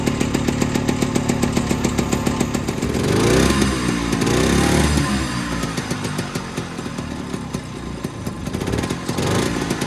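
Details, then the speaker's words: Unnamed machine from a set of off-road projects, hard to start after sitting about a month, fired with ether then ran as if it hadn't needed it: rapid steady popping, revving up and down cleanly without stumbles; normal running. "I don't know how to explain it, but whatever. It runs pretty good."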